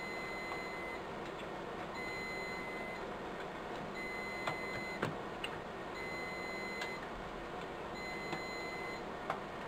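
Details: Riello DVD 2200 2U UPS, 96 V battery pack, while being reassembled after battery replacement: steady high beeps, about one-second bursts every couple of seconds over a quiet room; battery fault alarm flagging failed batteries.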